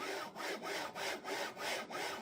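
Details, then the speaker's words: Sovol SV06 3D printer with failed linear bearings on both axes, moved by hand with motors off before replacement with Igus Drylin RJ4JP-01-08 slides: harsh dry rasping every stroke, about every third of a second; rough failed linear ball bearings. "Um, today we're going to change these bearings, the linear bearings to these iiggus ones. These are the non-lubricate ones, not actual bearings and more like slides. So, cuz it's got rather noisy"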